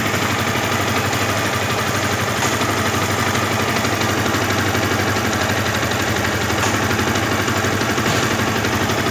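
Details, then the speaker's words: Yamaha Vixion 2010 motorcycle idling: rough, loose rattle over the engine note with the clutch lever released, gone and smooth when the lever is pulled; clutch rattle, clutch to be disassembled. "Kalau dilepas koplingnya gredek. Ditarik koplingnya suaranya halus dan bersih."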